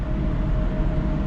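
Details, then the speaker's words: AAON commercial water source heat pump, not cooling, after burned wiring repair: steady low rumble with faint hum as the blower fan ramps up, no scraping or knocking; normal fan start. "check on my phone I took a screenshot of that I'm going to show you guys that as well I hear the fan ramping"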